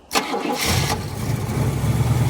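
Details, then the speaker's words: 1971 Buick Skylark Custom, started via manual start wire after pumping the gas: short crank, quick catch, then steady even high idle with deep smooth hum; normal start. Charging about 12.5V, alternator suspected weak. "Look at there. She's running smooth."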